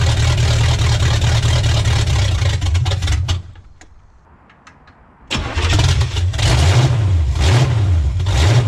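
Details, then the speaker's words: 1985 Pontiac Trans Am 350 small-block Chevy, previously seized, first start after 7 years not running, with open exhaust manifolds. Brief crank, it catches, drops quiet, then restarts to an insanely loud, lumpy but steady idle with blips. Normal start and idle. "what a team to be alive open manifolds on this though insanely loud"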